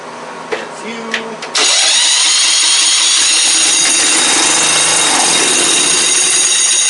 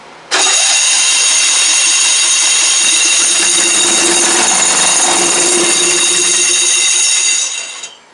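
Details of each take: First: Circa-1991 "Squarebody" Craftsman riding mower, started with the key on battery after starter work; engine catches cleanly and settles into a steady, even idle with no misses or knocks: healthy runner. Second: Old Craftsman "Squarebody" riding mower, believed 1991, revival attempt with fuel poured through the carb, air filter off: starter whirs steadily about seven seconds and the engine never catches; cranks but no start.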